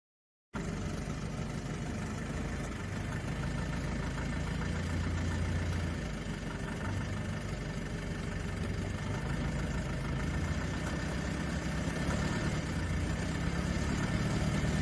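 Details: 2005 BMW 320i E90 N46 automatic: uneven knock of about four beats a second when in 1st, 2nd or reverse, held on the brake and revved slightly under low load; also occurs turning the steering and is worsening. Owner suspects rod knock, flexplate or cam bearings.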